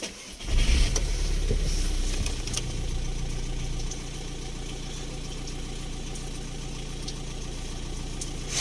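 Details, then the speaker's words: VW Touran 1.9 TDI BLS diesel, cold start at 13.5 °C coolant, first start after injector work for periodic misfire and smoke; catches quickly and settles into a steady, even idle with no misfire; normal cold start. "Ну ось зовсім інший історія завелась півтику все чітко той таке"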